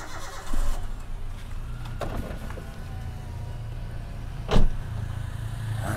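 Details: Toyota Avanza engine rebuilt with used parts after melting from overheating, valves readjusted three times and lifters replaced to cure excess vibration: low, steady idle hum with no knocking, running smooth and even, with a few handling thumps.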